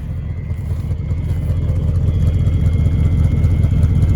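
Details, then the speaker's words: 1979 Ford F250 4x4, 351M V8, 4-speed: deep, even exhaust burble that firms up as it warms, no misses or knocks; healthy smooth running despite needing an accelerator pump. "You know, really, for needing an accelerator pump, that's pretty good. But nice sounding truck."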